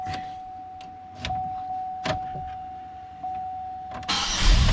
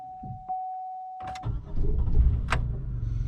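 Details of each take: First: 2005 Chevrolet Impala, 357,881 miles, intermittent starting with a suspected camshaft sensor fault, after sensor replacement: brief crank catches right away and settles into a steady idle with a faint electrical whine. Normal start. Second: 2005 Chevrolet Impala, 357,000 miles, intermittent starting: chime, then starter catches and engine stumbles into uneven, lumpy run; hesitant start, camshaft position sensor A circuit code read, sensor replaced.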